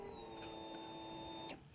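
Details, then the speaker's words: 2013 Polaris Ranger 800 EFI after replacing fuel pump suspected of low pressure: new pump gives steady even electric whir for about 1.5 s on key-on then cuts off cleanly; normal prime. "oh that fuel pump sounds much better"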